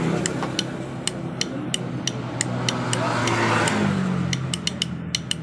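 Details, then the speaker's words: Yamaha Jupiter MX with a new battery, key on, starter button held: dry clicks about three per second but the engine never turns over; starter clicks with no crank, suspected dead starter motor or faulty starter relay/bendix. "seperti ini guys bunyinya kalian bisa dengarkan dia bunyi cetek-cetek tapi tidak bisa nyala starternya atau tidak berfungsi sama sekali"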